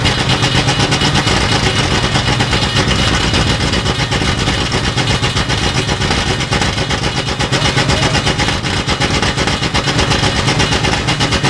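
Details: 1960s Ford Galaxie V8 first start, open exhaust: loud uneven burble that sounds lazy and soft rather than crisp; timing retarded and carburetor over-rich.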